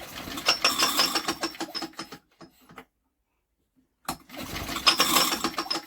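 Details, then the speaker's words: Old BSA 50cc engine, unused for years, spun over while still lacking spark: irregular tinny clattering, pausing and returning; owner first suspects the recoil, it is the flywheel rubbing on its cowling. "oh well that rattling's in that recoil or something in that flywheel would have disrupted"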